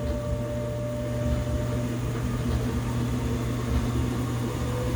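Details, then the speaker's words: Washing machine after replacing belt, shock absorbers, drum springs and pump: steady low hum with a thin whine rising in pitch through the spin to highest speed; whine always present, normal operation. "the the wine that slowly gets higher and higher pitch is making me nervous wait for it to explode"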